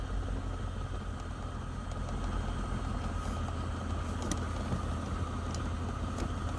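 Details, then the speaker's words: Toyota Sienna (2007 or 2008) at quiet idle with the AC on: intermittent, faint, irregular ticks about every second from under the dash on the driver's side, traced to the HVAC blend door actuator clicking. "you see this right here i see the sun it's coming hard from here so that looks like the actuator"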